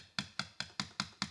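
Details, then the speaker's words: 2022 Subaru WRX door rattle that stopped when a hand held the door handle: sharp hollow clicks about five a second from the loose plastic cover panel behind the handle that hides the door panel screws. "Now, I don't know exactly why, if somehow it's touching, but what I think is actually the culprit of the vibration is this little plastic panel."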